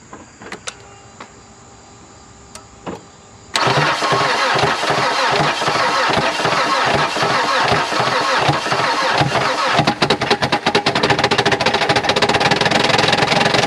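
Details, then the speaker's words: 2010 Mazda engine that arrived seized with zero oil, freed using ATF and penetrating oil, and started on three cylinders (one coil not fitted). It cranks, then runs violently with hard pulsing beats and sharp clatter; broken connecting rod. "i will we got to give the mazda motor a little bit of credit for starting on three cylinders without your freaking with zero oil in it she dialed right to life she coughed and choked through all that atf we had down there"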